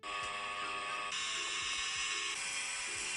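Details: PS5 console cooling fan racing with a loud, high-pitched rushing whine that steps up under load during gaming; warned as a sign of overheating from the console's cooling-system problems.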